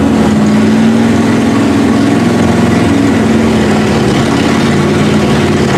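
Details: 1971 Ford Ranchero V8 at first start, carburetor needing work, choke had been stuck shut: a fast, steady idle well above normal with a faint hiss that never settles. Owner suspects a vacuum leak.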